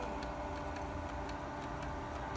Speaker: não tem errada nenhuma não ainda tá armando o motor dela, o barulho dela, ainda tá armando